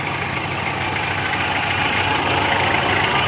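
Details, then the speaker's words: 2013 Mitsubishi Strada Triton GLX, 4M40 2800cc diesel, in 4x4 test: rough grinding whir with faint rhythmic beat as the wheel turns; both free-wheel hubs badly damaged, left worse than right. "Jadi, masalahnya adalah kedua hub, kiri dan kanan, mengalami kerusakan parah."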